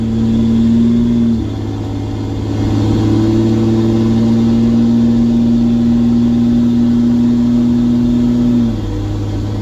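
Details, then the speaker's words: Ram 2500 diesel ("Bertha") towing about 9,500 lb after replacing a clogged fuel filter: strong, clean pull through the shift into second and third, full power restored. "Locked up second. There's third. All right, we are back in business. We're just cruising."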